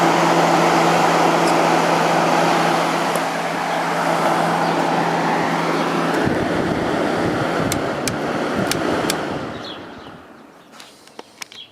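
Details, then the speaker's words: 1989 Whirlpool Coolerator window air conditioner after coil cleaning and fan motor bearing oiling: steady fan roar and even low hum with strong condenser airflow, no rattles; running normally. "Let's give it another test run. Airflow through the condenser is very strong, so that's good."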